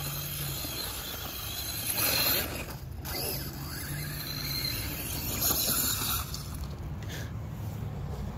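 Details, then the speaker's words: Redcat Volcano EPX RC truck with a Hobbystar 3650 3500KV brushless motor on 3S, bashing at part throttle. A rough ratcheting clatter rises over the motor and terrain noise from a broken dogbone in the driveline, leaving three-wheel drive. The owner breaks one dogbone or CVD per battery pack. "Oh shit. Damn. I think something's broken. That's not good."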